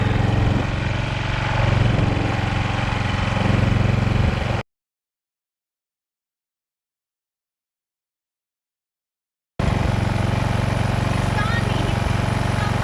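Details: Husqvarna walk-behind string trimmer after sitting for years, warming up after a tune-up with a new carburetor: small single-cylinder engine puttering at a steady, even idle with a regular low beat; runs normally.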